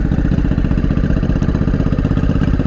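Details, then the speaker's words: Honda Shadow 500 motorcycle at first start after years apart: low, lumpy, stumbling running on the front cylinder only, with a large fuel leak and the carburettor flooding; rough running. "We're only running on the front one. Why? Well, it's running. That's something."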